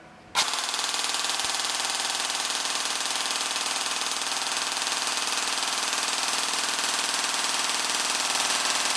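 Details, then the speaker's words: Gel blaster gearbox fired full-auto with M120 spring on the stock motor before a T238 brushless 480 swap, current peaking about 27 A, averaging about 16 A: rapid, even buzz of shots for eight seconds without stalls, skips or grinding; normal full-auto cycling. "all right that sounds tough"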